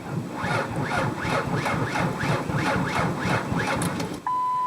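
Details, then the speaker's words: Slow, laborious starter cranking at about three sluggish beats a second without firing; car won't start and the battery definitely sounds low. "now I think you could hear that my battery definitely sounds low"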